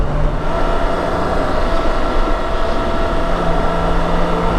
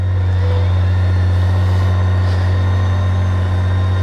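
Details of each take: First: BMW K1600 GT motorcycle riding in 4th gear: low constant drivetrain drone under road and wind roar, quieter than on another K1600 but the same characteristic noise; source unknown. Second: BMW K1600 electric reverse, in neutral: reverse button pressed, then starter button, so the starter drives the bike backward. Steady low droning hum with the engine turning evenly and odd gremlin-like noises; normal operation.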